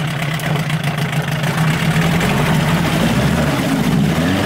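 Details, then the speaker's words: 1988 Johnson Evinrude 6 hp two-stroke outboard, running in a test barrel after a suspected high-speed circuit blockage cleared: steady buzzy note with small rev rises, no misses or sputters; runs well, still a little picky at low speed. "revs up goes in here it needs to be on the water not in the barrel the Smoke's getting to it it's running good"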